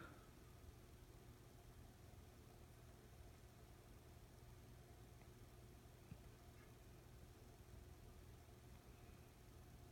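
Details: Emerson Heat Fan K63 52-inch four-blade two-speed "blender" ceiling fan, restored with downrod and two-speed pull chain: quiet steady low hum, no rubbing, ticking or wobble. Normal running.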